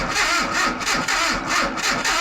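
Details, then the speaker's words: Datsun/Nissan 720 King Cab 4x4, abandoned about 20 years, new ignition control module, started off a button with timing light attached: even cranking about four beats a second, no firing; crank no start, no spark. "Nothing out of the timing light. I want to barf. Nothing."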